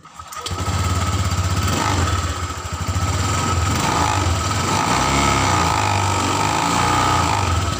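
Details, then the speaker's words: Honda Vario 150 eSP scooter revving up and down: no noise at low rpm, loose tap-tap krotok-tok rattle at higher rpm from a rear cover. Body panel rattle. "ketika dalam RPM rendah suara tidak terdengar, tapi ketika RPM tinggi ada suara krotok-tok seperti itu."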